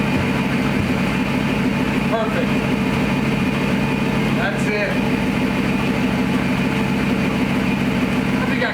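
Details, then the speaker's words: Gen 3 Hemi in a 1952 Dodge pickup, with exhaust fitted and in park, idling after the ECU relearn: a steady, even V8 idle with a smooth low rumble and no knocks or misses; it runs healthy. "Sounds good. Just let that run a minute. Wow, it really sounds good. I mean, it's got exhaust on it."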